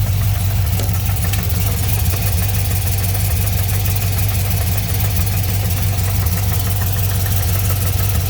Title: LS3 engine noise at idle.